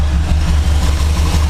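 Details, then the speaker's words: 1973 Chevrolet C10 short bed, built early 2000s: deep, steady low rumble holding an even note without ticks, knocks or stumbles after refitting a pump line; engine healthy and strong. "nah man I don't know miss how bulletproof this motor is this motor is absolutely a tank it runs like a champ I"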